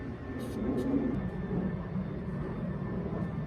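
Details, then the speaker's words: 2005 Ford Crown Victoria idling after the squealing alternator was sprayed with silicone lubricant: steady low rumble, no squeal or chirp from the belt end; normal idle. "That's better. I don't think you can pick it up on the camera. That sounds a lot better."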